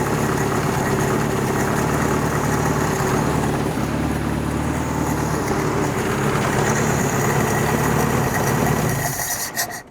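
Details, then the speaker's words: Toyota abandoned 20+ years in junkyard, first run on replacement carburetor with fresh fuel filter: steady smooth engine note about nine seconds, accelerator pump audible, charging, no misses or knocks, then clean shut-off; normal running. "That sounds pretty good. I can hear the accelerator pump working on this carburetor."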